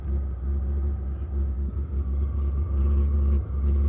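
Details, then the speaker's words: Vevor 12 V diesel heater running: a constant deep, slightly wavering hum heard for the first time, along with smoke, black exhaust smoke and diesel smell. Abnormal, cause unknown. "See? It's making a humming sound."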